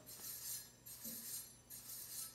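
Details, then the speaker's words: Himiway Escape e-bike, newly assembled, front wheel lifted and spun by hand: light metallic scraping hiss swells about every 0.85 seconds; front disc rotor rubbing the caliper, needs centering. "and i can hear that rub so that means i'm going to have to adjust that front brake so that the rotor's in the center of the calipers"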